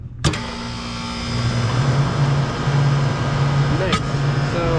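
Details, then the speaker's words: Walk-in freezer compressor after replacing blown start components, likely from a burnt-off wire: thump at switch-on, then a steady low hum that builds and holds without stalling, drawing 9.3 amps; normal compressor start. "can hear the compressor's running start it up just fine 9.3 amps is not too much"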